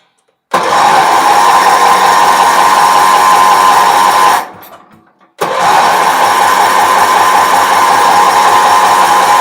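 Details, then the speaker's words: Wheel Horse 308-8 garden tractor, choke closed, fuel reaching an overflowing dripping fuel filter: two bursts of steady starter whir, even chug about 160 per minute, no firing; engine cranks but won't start. "wonder why she won't start it was acting like it wanted to it's cranking over there's gas in the fuel filter which is dripping like crazy"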